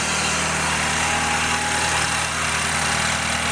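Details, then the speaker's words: BMW 320i N20 turbo, about 140–150k, cold start after turbo cartridge rebuild: steady cold idle with busy ticking from high-pressure fuel pump and injectors, plus faint rattle from wastegate flap linkage; normal. "all right so you can hear a little rattle right now but that's just the the waist gate to Flat linkage and this Mot is inherently noisy to begin with"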